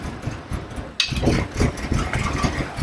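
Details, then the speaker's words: 1989 Ford F150 with 61,000 original miles, sitting over 20 years, catches with a sharp bang, then runs rough and lumpy with uneven thumps and is shut off; abnormal engine noise. "She is running. All right, there we go. We're gonna see if it's got movement. That doesn't sound good."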